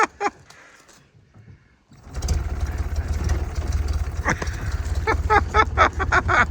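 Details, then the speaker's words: Engine started after putting the choke on and the ignition on: after a quiet pause the engine catches into a steady, even low rumble with no knocks or misses; runs smooth, sounds healthy. "Runs so smooth you can hardly even hear it."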